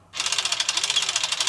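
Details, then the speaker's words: Sole elliptical tested with the console bypassed, pins 8 and 7 shorted to drive resistance: rapid, sharp ratcheting clicks about a dozen a second, as the failing resistance motor is not pulling the cable back. "So if you hear that clicking noise, also, I get a lot of complaints where they have a clicking noise. That is our problem. Our resistance motor"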